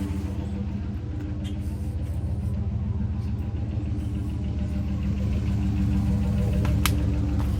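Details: 2003 Dodge Ram long box with the muffler cut off by angle grinder, so no exhaust silencing: deep, loud, open rumble pulsing about 200 times a minute, swelling slightly with revs. Running for comparison before a muffler and tailpipe go on.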